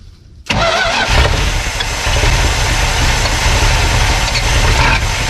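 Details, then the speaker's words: Abandoned 1972 Plymouth Fury, sitting about 10 years, started with the fuel line off to check the old fuel pump: catches and runs unevenly, with lumpy, ragged firing and a low rumble. Rough running, cause unconfirmed. "Wow, that sounded rough, didn't it?"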